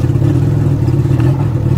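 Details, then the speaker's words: Cold start of a 1991 Honda Civic EF (B18 swap) that has sat broken for a while: a low, uneven, lumpy throb with clatter that won't settle, a horrible rough idle. "I really needed to warm this thing up. Cause it's been a while. This idle is horrible."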